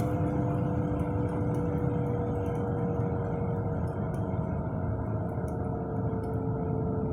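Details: Car with a worn left-front wheel bearing: a steady low roar and hum from underneath above 20–30 mph. Tires showed no irregular wear and the wheel passed the shake test. Replacing the hub assembly cured it.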